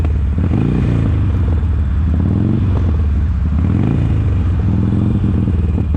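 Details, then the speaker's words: 2007 Harley Sportster 1200 fuel-injected, riding: loud drone with uneven stumbling beat as the front cylinder drops out and returns, working then going dead, suggesting an electronic rather than mechanical fault; intermittent misfire. "and as you can hear there it's kind of coming in and out it'll work for a little bit and then it doesn't just goes dead that kind of leads me to believe that it's something electronic definitely not a mechanical thing"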